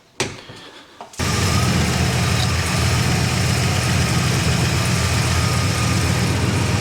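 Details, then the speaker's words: 1965 Plymouth Satellite V8 with a new Edelbrock RPM intake and Quick Fuel carb with electric choke, just started: a lumpy, uneven idle with a stumble, a misfire because a spark plug wire was not pushed fully onto its plug. "the plug wires wasn't pushed on all the way have to move that one"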